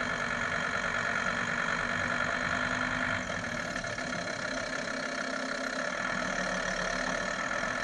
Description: Grinding noise under hard acceleration. Problem found! Was the gearbox mount had come loose and was touching the sump guard.